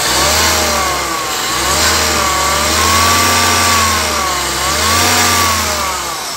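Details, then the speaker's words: Hyundai Avega, microphone at the engine bay by the AC compressor pulley, clutch engaged with throttle blips: coarse growl rising and falling with revs only when AC is on, normal with AC off; rough-running AC compressor. "lihat teman-teman jadi suaranya kasar ya Nah jadi gitu temen-temen mobil ini tuh masalahnya di situ ya setiap kali AC kita on suara kasar akan muncul"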